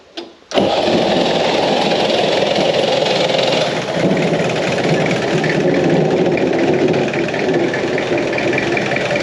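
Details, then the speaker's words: Peugeot P4 (military G-Wagon) diesel started after glow-plug heating, settling into an uneven, lumpy, sagging idle. It won't run any better and cuts out when revved; air got into the system after the new fuel supply was fitted. "okay so as I said it runs but that's as much as we can get out of it so it's idling it's not very happy at the moment the problem is a certain amount of air that's got in the system since we put on the uh the new fuel supply"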